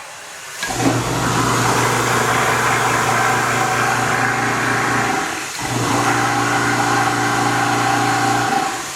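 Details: Continuous-feed garbage disposal being replaced: motor hums steadily, cuts out abruptly midway, then hums again; unit is binding and locking up from a bad bearing, hard to turn by hand.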